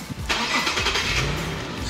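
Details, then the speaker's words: 2016 Infiniti QX50 AWD with VQ37 V6 gasoline engine, about 49,000 km, heard starting from inside the cabin: quick crank, clean catch, then a quiet, smooth, even idle with no knocks; normal engine start. "자 이렇게 제가 ng 시동을 한번 걸어 봤는데요 ng 시도도 정말 잘 걸리고 내사랑 이구여 휘발유 엔진의 키로수가 정말 짧은 만큼 차량 실내 송도 정말 조용하고 점수가 3랑 입니다"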